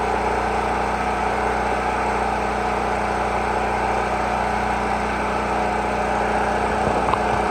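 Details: Generator rated 3500 running watts, first run after storage, started on choke: small engine holds steady, even hum with no surging or missing; sounds healthy, oil change still due.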